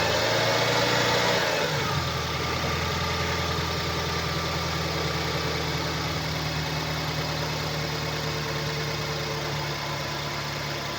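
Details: 2012 BMW 116i E81, N43B20A 2.0 L petrol, 122 PS, 119,875 km, at idle: a regular knock of about three per second over the engine note, caused by a defective crankshaft connecting rod bearing.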